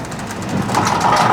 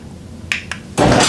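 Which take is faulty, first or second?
first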